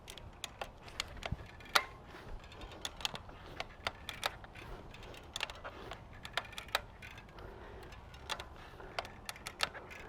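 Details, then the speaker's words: Trek Fuel EX full-suspension mountain bike, bike rocked by hand with saddle and bars pushed opposite ways; sharp irregular creaks and clicks, judged unlikely from crankset, likely from rear suspension; creaking under load. "so that has a ton of noise so by performing that last test that's going to help verify to me that it's very unlikely it's coming from the crankset and more likely it's coming from the suspension"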